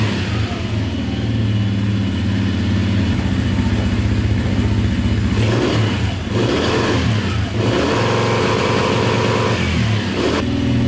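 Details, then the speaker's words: 2010 Polaris Outlaw 90cc ATV after a carb clean: steady idle buzz, then snaps up in short bursts that cut sharply at the rev limiter, revving out cleanly; smoking, owner suspects rings stuck to the piston. "Like a rev limiter on this thing."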